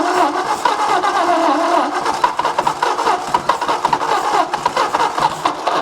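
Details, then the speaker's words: 1964 Ford F250 223 six, started on jumper cables: catches into uneven, lumpy beat with varying pulses; rough running from poor compression, but runs and doesn't sound horrible. "It's got some messed up compression, but it runs, doesn't sound horrible, and it's gonna probably go out of my shop."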